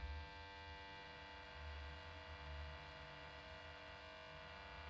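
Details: 3 kW Renoster inverter on one 12 V battery carrying about 1200 W (kettle plus other load): low, steady electrical hum with constant buzzy overtone and slow faint throb; normal under heavy load.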